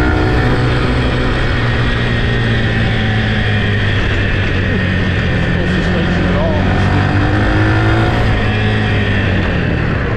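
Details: Yamaha TT-R 125 single on a test ride: pulls smoothly through the revs, clean steady tone, no stumbling or misfire; runs good, clutch good, brakes work, may need front pads.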